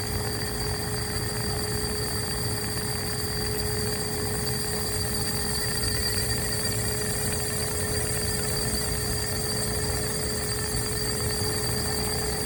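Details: AC Infinity Cloudline inline fan, Air Filtration PRO Kit 4", 1–2 years old, carbon filter removed: steady airy hiss with a fixed high buzzing tone. The bee-like buzz developed over recent months, cause unclear.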